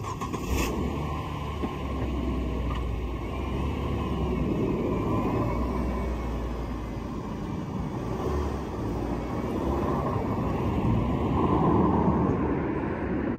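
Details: 2003 Mazda Protege5 after replacing a blown 10 amp cabin fuse box fuse that caused a crank no start; steady even engine note with no knocks or misses under outdoor street noise; normal running.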